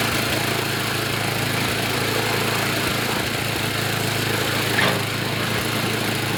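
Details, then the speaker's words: YardMan snowblower small engine after an auger belt fix, with idle and high rpm adjusted: a steady, even drone holds constant speed without surging or misses. It is running normally. "I got the idle set I got the high RPM set sounds good it's running well it sounds even better on the load"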